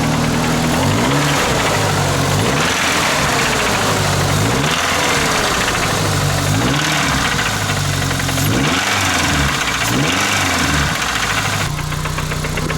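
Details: Truck engine with a knock at idle, run with Lucas Oil Stabilizer added and given time to mix: loud idle with a repeating knock and some throttle blips. Owner thinks it sounds lower; the knock is still present, source not pinned down.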